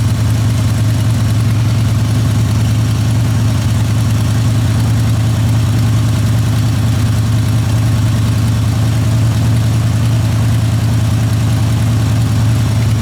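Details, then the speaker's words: Old junk truck V8, parked for months, started without touching the throttle: deep lumpy uneven idle with shaking; a dead cylinder suspected, possibly a rear one. "i didn't even touch the throttle it just started oh yeah she's shaking"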